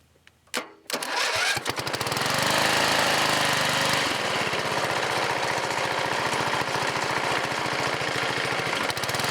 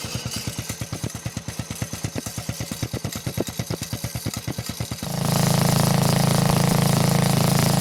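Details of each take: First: Riding lawn mower single-cylinder OHV engine with a newly fitted tractor-style muffler, running steady and loud with a rough uneven tapping knock; owner suspects counterweights or connecting rod, engine to be torn down. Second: Old Montgomery Ward riding mower with a flathead engine, temporary tractor-style muffler fitted: even, steady thump at slow idle, then picks up to a smooth constant drone with no misses or knocks; healthy running.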